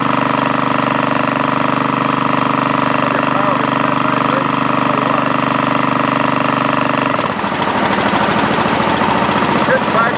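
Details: Craftsman GT5000 lawn tractor twin, first start after woodruff key replacement: hard shaking beat about two per second turning rattly and uneven, heavy vibration and lots of smoke; compression about 150 both cylinders; cause unknown.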